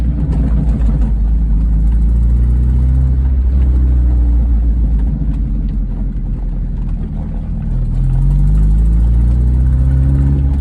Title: MGF 1998 VVC Ticking and squealing noise. Exhaust related leak.